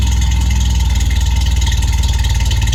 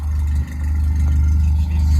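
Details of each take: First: Toyota AE86 (Sr5) with a new FlowMaster exhaust, cold start after sitting since noon: loud, deep cold idle with a fast, loose rattle over the exhaust drone; owner hasn't found the rattle source, believes nothing's wrong. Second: Toyota AE86 (Sr5) with new FlowMaster exhaust, restarted after a cold-start stall the owner blames on the carburetor: deep, steady, even idle burble with no rasp or ticking; sounds healthy.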